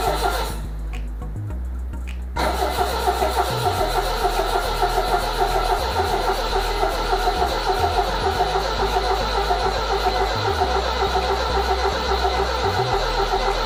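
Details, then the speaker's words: 1978 MGB convertible after replacing both bad relays, first start: cranks, catches and runs unevenly, sputtering and popping; plug wires suspected swapped, possibly cylinders 3 and 4. "cranks but it sits there and sputters and it pops it sounds like we got plug wires that's all backwards"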